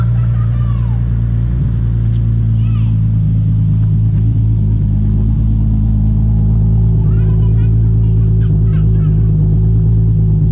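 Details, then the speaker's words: 2003 Nissan 350Z first start in over two years after fitting a new ECU, the old one shot, which caused crank-no-start: steady, even low idle hum, no misses, knocks or hunting; ran 20-30 minutes through a heat cycle with no issues. "come on [Music] that sounds so good oh I'm so stoked right now"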